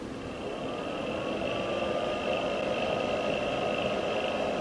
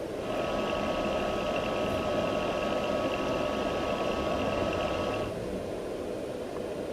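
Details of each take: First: You will hear that the fan in the power supply is quite noisy. This is particularly problematic when the ambient temperature is quite warm. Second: Palstar PS-30M power supply after its noisy fan was replaced with a new fan: steady, soft whir with a faint high hum, much quieter than before.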